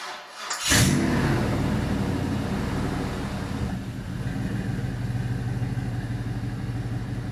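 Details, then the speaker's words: 2001 Chevy Silverado LM7 5.3L iron-block V8, 862 heads, 151k miles, on engine stand; cold start at 111°F coolant, 86°F intake air: cranks, catches quickly, flares then settles to even ~700 rpm idle, oil pressure ~44 psi; normal. "So settling down nice already, 700-ish RPM."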